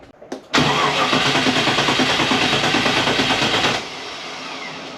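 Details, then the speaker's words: Triumph Stag with 4.6 L Range Rover V8, flat battery, cranked on jump pack: quick even cranking at a healthy steady rate for about three seconds, then it drops off; turns over like it should, normal cranking. "that turns over like it should but with all this work we're now down to 1%"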